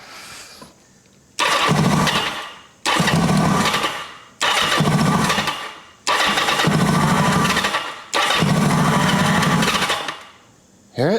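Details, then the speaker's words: 1980 Kawasaki KZ750 with a fuel leak. In five bursts of one to two seconds it fires and runs while the starter is held, then goes silent the moment the button is released; owner suspects a spark or ignition issue, possibly an unconnected red lead. "It's like everything stops as soon as I let go of that start button"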